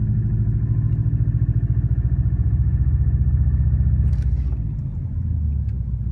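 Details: Warm 2004 Subaru WRX stage 2 at idle, 150 psi compression, 5-10% leakdown, burns no oil: quick ticking about three to four a second over low rumble, suspected piston slap, actually a cracked up-pipe flange exhaust leak.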